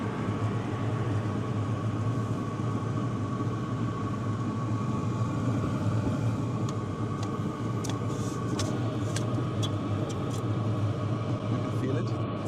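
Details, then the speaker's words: HCALORY TB MAX 8 kW diesel heater after about 10 minutes running, exhaust 73–75°C, combustion chamber over 160°C: steady burner and exhaust rumble with even fan rush, pump clicking inaudible even close up; normal running. "I can't hear it anymore. I really can't hear it anymore. But the ventilation noises up here in front and also at the exhaust. Those you can hear."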